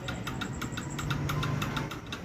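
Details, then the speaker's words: Bajaj Pulsar 150 that won't start, starter button pressed: rapid clicking about six times a second with no cranking. Cause suspected, not yet confirmed: a bad starter motor, a bad starter relay, or a broken wire between relay and starter. "गाड़ी के अंदर ऐसा problem है तो या तो इसका star खराब होगा या तो स्टार का रिले खराब होगा"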